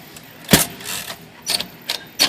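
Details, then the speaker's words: Dirty Royal Quiet De Luxe typewriter: short sharp high squeaks and scrapes as the carriage moves, from the paper feed rollers; squeak stops when the rollers are lifted. "sure that's just the feed rollers here yeah so if i lift that up it goes away these are just squeaking like crazy"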